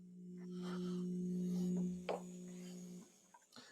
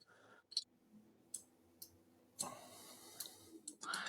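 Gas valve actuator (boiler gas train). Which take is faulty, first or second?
first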